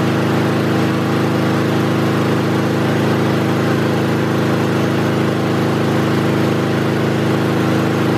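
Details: Kohler small engine held at full throttle during a voltage regulator DC output test: loud, even, fast exhaust beat with no misses, knocks or surging; regulator outputs about 14.3 V DC, engine healthy.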